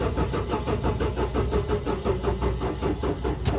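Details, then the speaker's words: 2007 Toyota Yaris ex-police car that hadn't run in over 4 years, first start attempt after fuel system work: slow, labouring crank about three turns a second that never catches; the battery is dead and old gas is still in the line. "and of course the battery is [Music] dead oh almost started of course there's still going to be some old gas in the line that we kind of either have to blow out or kind of just burn it out so that's what I'm trying to do now"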